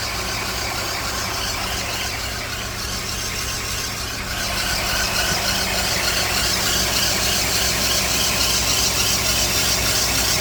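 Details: Car at idle: steady high-pitched squeal that never lets up, from a failing alternator, sounding like a dry worn bearing.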